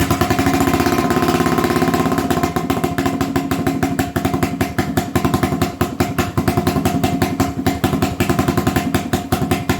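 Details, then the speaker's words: 1980 Honda XL250S single, adjusting carb mixture: uneven, stumbling idle with firing pulses bunching and dropping out; richer than middle causes this stutter, leaner than middle it shuts off; owner thinks mixture-related; uneven idle stutter. "so if i make it a little richer from the middle that causes it this butter if i make it leaner from where it is in the middle it just shuts off"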